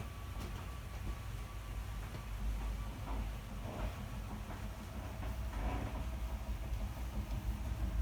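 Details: 2020 SportTrek Touring 343VIK slide-out extending by holding out button: low steady motor drone building slightly as it travels, no grinding or clunks; normal slide-out operation.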